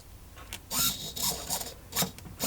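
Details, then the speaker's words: Old S1903 RC servo of unknown brand with plastic gears, made in Taiwan, on a servo tester: short bursts of smooth, even, high whirring as it sweeps, with no skipping or grinding; gears slightly shaky but it works. "gears little bit shaky works all right though put that in the working Section"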